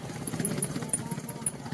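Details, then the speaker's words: 9 kg Fanfila twin-tub washing machine spin dryer running: sharp high squeaks, about five a second, over a low spinning rumble; worn spin-dryer shaft seal turning with the shaft, also leaking water; seal to be replaced. "Nah, begitu suaranya sangat berisik dan itu terlihat ikut berputar. Bocor airnya juga dan bikin berisik."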